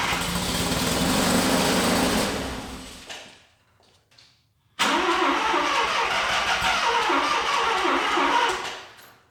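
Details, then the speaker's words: Mazda RX7 FB rotary, first start after refueling with fresh regular gas, heavy smoke: long cranking catches briefly, dies, then catches again and runs raggedly; flooded engine clearing. "we have a running mazda and we are smoking so basically what we had to do um i was hitting the key i could tell it was flooding"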